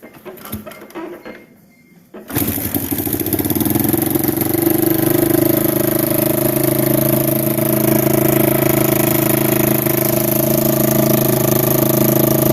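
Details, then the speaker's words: 1987 Kawasaki Mojave 250 ATV after sitting, second start after tightening exhaust manifold: fires and holds loud, fast, steady raspy idle; idles very high because the choke was removed and plugged, plus exhaust leak. "it idled really high because there is no choke in the machine they just plugged it up with like this little orange plug and uh that's why it's idling extremely high"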